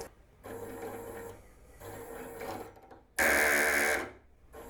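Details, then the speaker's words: Stepper motor of about 0.4 N·m driving a 3D-printed closed-loop timing belt rated about 0.1 N·m, with the pulley held stopped: short whirs, then loud harsh ratcheting as the belt jumps over the pulley teeth. "probably we can heard that sound when we're tapping back we go jump over the pulley"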